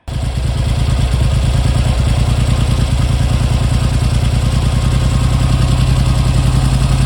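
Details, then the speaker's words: Triumph Hurricane X75 restored but running rough, concentric carbs with air screws about one and a half turns out, choke still on: loud idle racing high and slightly uneven on the exhaust instead of settling. "sounding it well it was sounding a bit better it's beginning to race a bit now still got choke on"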